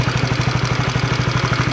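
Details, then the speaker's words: 2016 Honda CB150R idling: fast, even ticking about twelve per second over a steady idle, blamed on a damaged, very loose camshaft bearing, likely from past oil starvation, heard after the valve shims were adjusted. "Ini karena laharnya rusak, jadinya suaranya seperti ini."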